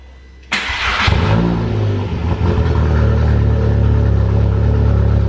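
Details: Polo GTI track car after a 10-month rebuild, with a very loud exhaust. Cold start: it cranks and catches, then holds a lumpy, uneven fast idle with a deep burbling exhaust. Running rough cold; cause suspected, not confirmed.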